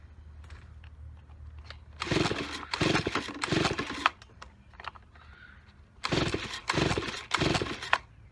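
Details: Neglected Stihl BG55 leaf blower with a busted primer bulb, caked carb and crumbling air filter: two bursts of pull-cord rasps with no firing; it cranks but will not start, and a dirty carburetor is suspected, not confirmed.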